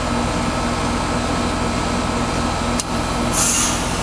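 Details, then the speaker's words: Heat pump reversing valve test: 24 V on the coil, then de-energized back to heating with outdoor fan running; steady fan hum, sharp click and short refrigerant hiss as the slide moves mechanically; normal reversing valve shift. "there she is that's what it looks like with the slide sliding that way we know we have uh the the slide is mechanically sliding okay"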